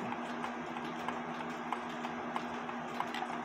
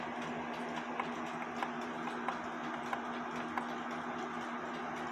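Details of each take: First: Seth Thomas clock with verge and crutch assembly: crisp, even tick-tock at about three beats a second, after the tight crutch foot was opened up to give the pendulum leader wire room to bounce. Clock is in beat and running properly. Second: Seth Thomas clock with the verge and crutch assembly foot set too tight: about five uneven ticks falter and die out as the binding foot robs the pendulum leader wire of inertia, so the clock stops; the fix is opening the foot.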